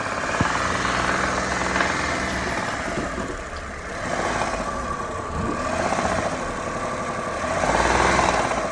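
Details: Engine with an unexplained hum: droning hum that swells and climbs in pitch as revs rise; cause not evident.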